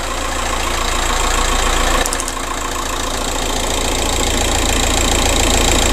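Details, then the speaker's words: 2007 VW Caddy 1.9 TDI 105hp BLS diesel at warm idle after replacing alternator pulley and auxiliary belt/tensioner that had squealed and lost charging: even clatter, no squeal or chirp from the belt; runs perfectly fine. "Looks like we have a fix. Right, so it runs perfectly fine."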